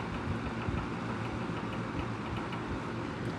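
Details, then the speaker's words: Circa-1970 McGraw Edison Kmart 12-inch box fan on low: even hum with faint irregular ticks and rattle from the motor bearing, which gets rattly once warmed up; model notorious for bearing failures. "It runs great though. It's just once it warms up, the bearing just starts getting rattly, and I don't like that. These are super hard to get balanced right. Yeah, there's the bearing rattle."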